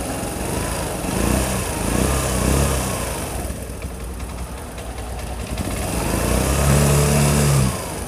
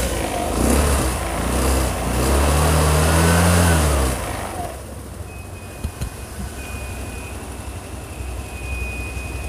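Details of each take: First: Imported carbureted Piaggio Vespa LX, hard to start and using about 6 L/100 km before servicing: small single-cylinder putter swelling and sagging in pitch every second, never settling; unstable idle. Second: Carburetted Vespa LX (Piaggio) scooter after servicing and idle adjustment (about 1,370–1,400 rpm), previously hard starting, unstable idle, high fuel use: brief blip then steady, even, quiet low idle without misses; healthy.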